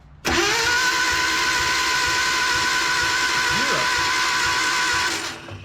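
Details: Datsun 720 King Cab 4x4, engine around 140,000 miles, sat about 17–20 years, head previously removed: the starter spins fast and even with no compression pulses. Compression test reads zero on all cylinders, and loose rocker bolts were found.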